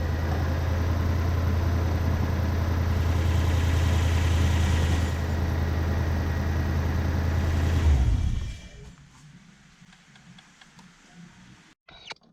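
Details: BMW E36 coupe with a swapped Gen2 Toyota 1UZ-FE V8, after repairs and throttle position sensor adjustment: smooth, even low burble for about eight seconds with no ticks or stumbles, then switched off. A healthy idle.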